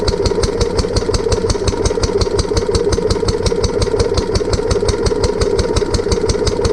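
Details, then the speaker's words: Barn-find Lister D petrol engine on a trolley with an Aerograph air compressor, re-run after first start-up with fuel leak fixed, tank refitted and new plug: even single-cylinder thump with metallic ring, some shake remaining. "so part of the reason why the engine was a a bit jumpy was that the coach that the the the new coach bolts when sprint's sitting very well"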